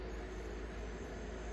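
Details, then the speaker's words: Arcade cabinet monitor after sitting 10 years in an abandoned apartment: thin, constant high-pitched squeal over a low rumble. Suspected cause is the high-frequency adjustment set too high. "And the monitor sounds like a high frequency thing going on with it. I think that might be one of these adjustments."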